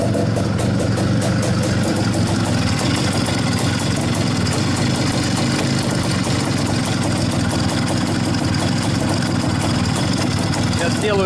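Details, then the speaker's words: IZh-49 two-stroke motorcycle after treating piston knock with solid lubricant and rechecking ring gaps, first start on petrol only: steady rapid even idle, no knocks or rattles; sounds healthy. "пока никаких звуков не слышно вроде все нормально Так ну что сказать Вы сами все видели сами все слышали по-моему никаких посторонних звуков Я не слышал Вроде бы все нормально должно быть"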